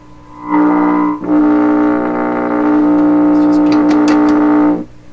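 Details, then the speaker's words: 1928 RCA Victor Model 28V radio under restoration, tuned to 550 while signal is checked at the tube grid: steady droning, buzzy tone cutting in and out as the RF stage breaks into parasitic oscillation; being desensitized. "Let's just keep desensitizing this oscillation."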